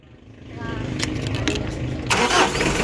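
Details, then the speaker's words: Mitsubishi Adventure 4D56 diesel with months-long morning hard starting, tested after glow plug fix; catches almost instantly with one click and settles into steady even idle, clean healthy start. ">> Allr. One click na. Okay na po. One click na."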